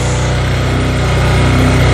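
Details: Wilderness ATV single cylinder, first start on full choke after not running, carburetor damaged by ethanol: steady, even putter with smooth unbroken beat and no misses; running cleanly.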